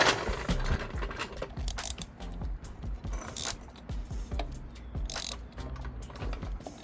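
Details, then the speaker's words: Benelli 302S motorcycle, engine turned over by hand at the crankshaft bolt: irregular sharp clunks, like something dropping inside; owner suspects the engine is out of timing, to be checked at top dead centre. "Discovery of the day is might be out of timing."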